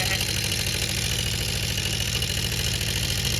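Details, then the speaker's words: Honda CB400 Four classic motorcycle during restoration, electronic ignition working, idling: light fast tapping over exhaust beat; owner suspects unadjusted timing chain, cause unconfirmed. "I don't know, a little bit sort of tappy. It might be the timing chain that."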